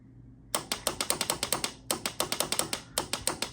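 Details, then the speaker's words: 1993 Honda Helix CN250 scooter found in a sand dune: only sharp starter relay clicks in quick bursts with no cranking; engine seized. "And of course, we're chunkered. We're stuck. So this engine is no bueno."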